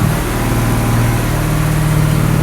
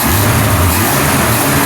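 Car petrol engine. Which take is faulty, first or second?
first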